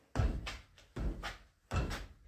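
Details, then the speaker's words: Car being rocked by hand: three dull clunks about 0.8 s apart, one per rock, over near silence; a friend looking between the wheel spokes saw the brake pads moving; loose brake pads shifting in the caliper. "Et il se baisse, il regarde entre les bâtons. Et il se trouve qu'il a vu que mes plaquettes bougeaient."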